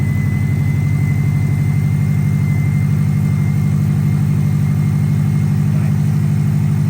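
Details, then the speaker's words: Healthy first-start idle after a GT3076R turbo install (T51R mod) with custom intercooler pipes, still on the untuned state, with a smooth low rumble and faint turbo whistle; no knocks or stumbles. "that sounds insane oh you just heard her running uh we've got speed and state tune I got to put on still I just want to make sure least idled"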